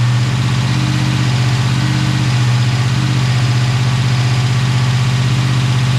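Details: Chevy Tahoe with freshly installed ATK 5.7 LS V8 on break-in tune, first start, oil pressure about 40 at idle, fans on manually: smooth even V8 idle, steady low rumble, no knocks or ticks; normal idle.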